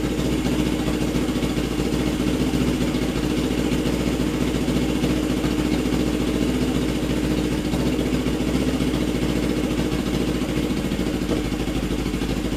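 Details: Custom Suzuki GS450 Scrambler warming up after head bolt re-torque: steady, fairly even idle with no obvious miss or knock; no clear fault heard yet.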